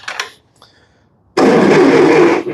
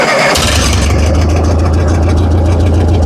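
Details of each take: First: 70-year-old Massey Ferguson TO-30 tractor, non-running, on 12 volt: starter spins the engine briskly and evenly for just over a second but it never catches; cranks well but no spark. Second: Massey Ferguson TO-30 tractor, about 70 years old, after turning the carburetor mixture valve out four or five turns to run very rich, no intake or airbox fitted yet: catches after brief crank into a steady, even low chug without choke; normal idle.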